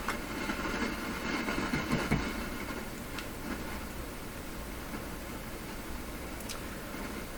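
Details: Sony TC-530 reel-to-reel tape deck being revived, transport running without tape: steady rushing mechanical noise with loose, irregular clatter; source of the transport noise unidentified.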